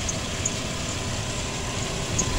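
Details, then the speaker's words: 2008 Ford Explorer after fuel pressure sensor replacement with codes cleared: a steady, even low rumble at idle with no misses, knocks or hunting; the engine idles smoothly. "truck is running good. There's no codes left in here now. See how smooth she running."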